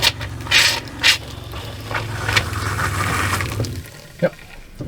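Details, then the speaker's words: RV water pump in a Lakota horse trailer living quarters during dewinterizing chatters in irregular spurts and gurgles instead of humming steadily; pump burping from air still in the water lines, pump itself good. "Did you notice the difference in the sound? It's still got a lot of air in it. Alright. You might have heard the pump was burping. But like I say, still got a lot of air in the lines."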